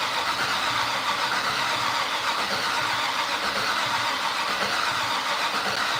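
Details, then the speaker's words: Fatsun (Datsun), first start attempt in 3 years: steady cranking never catches; fuel smelled so fuel present, spark and return-line flow to be checked; cause unconfirmed. "I smell fuel so we're getting fuel for sure let's make sure all of our spark is good go check the return line and make sure there's a stream coming in"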